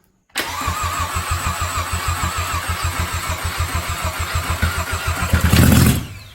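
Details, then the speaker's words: VW Jetta, first start after head rebuild, fresh oil, exhaust manifold still off: loud, rhythmic starter cranking at about three and a half turns a second with a few puffs but no catch; cranks but won't start yet. "Whoa! Almost. And it is loud because I didn't hook up the exhaust."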